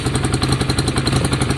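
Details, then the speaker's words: Yamaha Virago V-twin at idle warming up after carb clean and new spark plug in front cylinder that wasn't firing: steady even thumping beat, no skips; both cylinders now firing, normal idle. "heating up all right we'll give it a few minutes guys and we'll let you know it sounds better to me"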